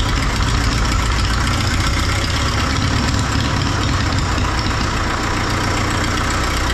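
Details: 1939 Caterpillar D4 D4400 diesel idling after its injectors were serviced and refitted: a steady, even low idle with a firm regular beat and an occasional faint pop. One injector has a slight seep still to fix, and the wet stacking is virtually gone.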